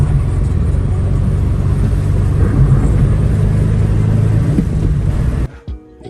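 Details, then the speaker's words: Subaru EJ15 flat-four petrol after valve cover gasket replacement on one side: starts quicker, revs smoothly, gains and holds revs easily with no coughing or sputtering. "Sounds better. Sounds better, eh? I'm a bit shocked right now. EJ 15. Gaining revs a lot easier. Holding the revs."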